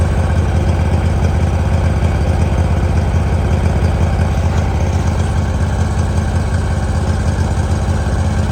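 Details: 2018 Hustler Raptor SD 54-inch mower, Kawasaki FR691V V-twin, after head gasket and valve seal replacement, shroud off, choke start. Warm engine idles steadily around 160 pulses a minute, even and smooth, no knocks or misses; spilled oil burning off. Normal idle.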